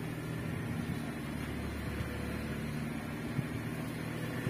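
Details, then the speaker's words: 2005 Honda Jazz VTEC idling with the AC on after the AC compressor pulley bearing housing was repaired and the adjuster retightened: even, smooth, quiet hum, the earlier rattling noise gone and back to normal. "membenahi rumah bearing koper cladding sudah teratasi ini dan normal kembali"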